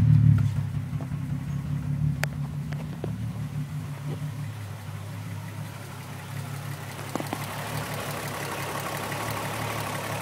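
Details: Car engine idling unevenly with a lumpy stumbling beat from a persistent tricky misfire, despite new coil pack, plug and injectors and ohm-tested wires.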